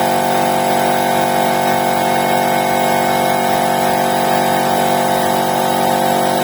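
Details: Air compressor with 2.2 kW electric motor that previously hummed and failed to start (suspected stuck stator winding relay): after repair, restarting after pressure release, steady even motor hum and pump drone, running smoothly under load.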